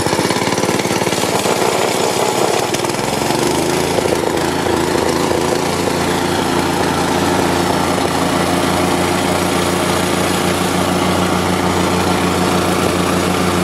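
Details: Market plate compactor with an unknown Chinese engine (Honda GX160 or Loncin 196 copy) that started then died; the oil sensor is reconnected for the test. The small single-cylinder runs steady and even without cutting out, the sensor okay, running normally.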